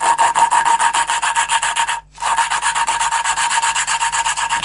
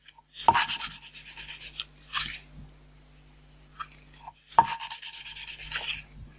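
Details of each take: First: Renault 4L valve being hand-lapped into its seat with coarse paste, suction tool on degreased valve: rhythmic gritty back-and-forth rasp, about four strokes a second with a short pause; quarter-turn and repeat until the muffled grinding noise disappears completely. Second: Renault 4L valve hand-lapping with paste nearly finished: bursts of dry gritty rasping as valve is twisted on its seat, softening between strokes.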